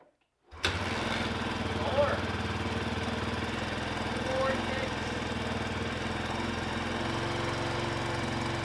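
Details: 1999 Suzuki DR350 bought disassembled, engine reinstalled with 1700 ml fresh oil, kick-started on choke; catches right away and settles into a steady, even single-cylinder thump with no knocks or rattles; normal running.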